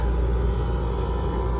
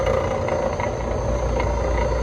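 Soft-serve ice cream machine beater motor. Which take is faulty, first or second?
second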